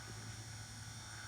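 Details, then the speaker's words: G gauge locomotive motor block on the bench, driven from a benchtop power supply wired to the motor leads and brought up slowly; soft, steady, even whirring hum with no knocks or rattles, smooth with no odd vibration: normal motor running. "And as you can hear, it's nice and quiet."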